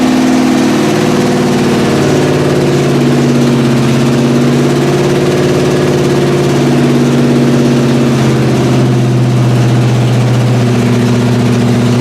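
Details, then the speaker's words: 1981 Recaro Trans Am (Turbo Pace Car) running after years of sitting and a carb fire on startup: steady, even idle with a smooth low drone, no valvetrain noise and no smoke; motor sounds clean and healthy. "Sound for as long as it's been sitting. Yeah, fire. It didn't really put up a fight. No valve train noise. No smoking out the back. The motor's clean."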